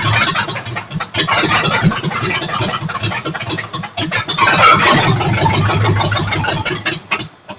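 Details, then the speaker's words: 272 Y-Block V8 first start with new headers and a rebuilt Holley carburetor, bowls filled by hand from the top, no coolant. It runs rough and uneven, surges and sags, then dies from fuel starvation; a fuel pump is needed. "Guys, uh, we're having fuel delivery issues. I ain't got no gas."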